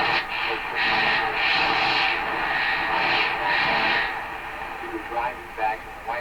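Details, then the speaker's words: Hammarlund SP-600 receiver after reconnecting a loose lead, on a garage-floor wire antenna: strong, steady station audio over even hiss, no crackle, fading or dropouts; reading 60 dB above one microvolt, receiving properly again. "it's back Hallelujah okay so it's picking up uh 60 DB above one microvolt on a piece of wire laying on the floor in my garage"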